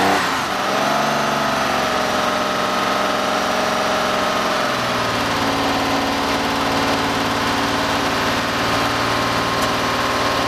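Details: 1969 Porsche 911T, first start after the engine build with a rebuilt Marelli distributor just installed and carbs primed, carb and timing tuning not yet done: fires, revs briefly, then drops to a steady smooth idle with an even hum and no misfire.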